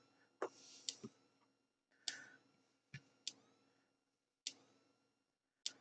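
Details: Thunderbird TB10 battery-powered portable strip-grazer fence energiser on the bench after cleaning the battery terminals, reading 2.8 to 3 kV: sharp dry clicks about once a second over a quiet room, steady spacing; normal pulsing.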